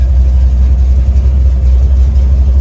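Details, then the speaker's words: 1970 Chevy Nova big-block Chevy V8, warmed up after water outlet gasket coolant leak fix, idling before a road test with temp, oil pressure and cooling all good; deep steady even rumble, no knocks or misses. "temp looks good oil pressure is good nice and warmed up cooling's good"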